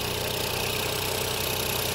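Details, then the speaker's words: Ford Fiesta Titanium automatic petrol engine at cold idle after battery recharge, fast light tapping from the high-pressure fuel pump; said to be normal on these and to quieten as it warms. "is that high pressure pump but apparently they all do it it's quite as it goes it gets warmer it quietens down or something"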